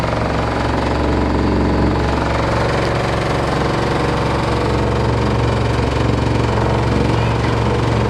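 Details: LG F14A8RD washer dryer: heavy, rapid, even thumping about four per second throughout the run, a loud repetitive knock of unclear source.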